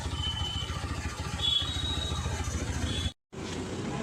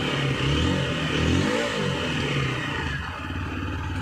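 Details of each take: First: TVS Apache RTR 160 4V after loosening and manually adjusting the idle air screw to fix stalling at slow speed: even single-cylinder beat at about 1500 rpm, steady and smooth; normal idle. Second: Water-damaged TVS Apache RTR 160 4V, submerged in water. With throttle blips, revs rise and fall but hang at about 2000 rpm instead of settling, and the check-engine lamp is on: high idle.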